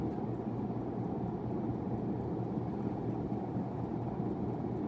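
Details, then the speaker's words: 1991 42-inch hugger ceiling fan of unknown brand, newly installed: even low hum with steady airflow whoosh, no knocking or scraping, slight wobble; an earlier noise stopped when the light was switched on. "Has a little bit of a wobble to it, but it's not bad."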